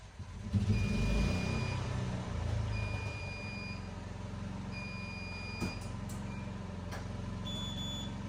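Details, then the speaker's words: Functional power-out test of a building's standby generator, heard through an open door, with a 10-second power-loss delay before cranking: the engine cranks and catches into a steady, even low rumble while a high beep repeats every two seconds; the generator starts normally. "I'll leave the door open here so you guys can hear the generator start. Should come on within about 18-20 seconds would be my guess."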